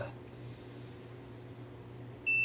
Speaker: yeah it's shorted directly to this